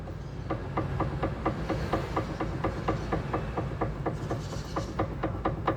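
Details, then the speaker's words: Renault Fluence front suspension rocked by hand: steady knocking clunks about two a second from worn front stabilizer links; both links replaced. "tudo bem barulho na bieleta da suspensão lá de cá então tá pior ainda que eu consigo mostrar para vocês"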